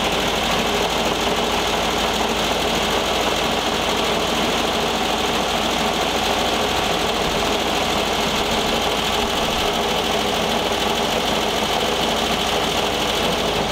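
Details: 1973 VW Thing Type 181 that sat for years, air-cooled flat-four idling: a fast, busy rattle rides over the run from the cooling fan. Owner feels something lodged in the fan and plans to remove the belt; revving sounded good.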